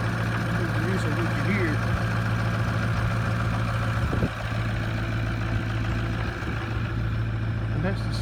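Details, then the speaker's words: 2004 Ford F350 6.0 Powerstroke diesel cold start at 24 degrees after one glow plug cycle: fires right up into a steady, even low diesel rumble with light clatter, no misses or knocks; normal cold idle. "that's the 6.0 cold start. And the motor's 24 degrees."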